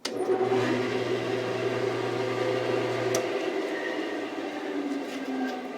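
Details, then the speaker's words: 1948 Delta Milwaukee 14-inch vintage bandsaw: blade vibration gone, quieter overall with an extra high harmonic heard more as it winds down; steady low hum; normal running. "It got a little quieter overall, but it also added an extra high harmonic to the sound that wasn't there before."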